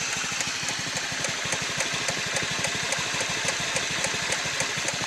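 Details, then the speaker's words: Honda Metropolitan scooter at idle: sharp, clock-like tick, three or four a second, over the engine, the sign of a failing fuel pump; fixed by replacing fuel pump and fuel filter. "you hear is a clock is not normal it's not a normal sound and it only happens when your fuel pump is going out so"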